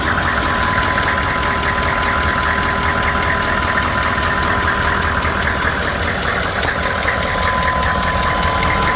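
A steady, even knocking, roughly two or three beats a second, sits over a noisy idle and points to an internal engine knock.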